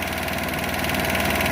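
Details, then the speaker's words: GY6 engine, 1,179 miles, after valve job and new carb with idle raised: fast, even light tapping over a smooth idle; cam chain has no play and rockers inspected, cause unknown, this engine reportedly ticks; top-end ticking at idle. "I've just never heard a GY6 that had a lot of tapping. That's new to me. It almost sounds like a cam chain. But I checked the chain, there's no play in it."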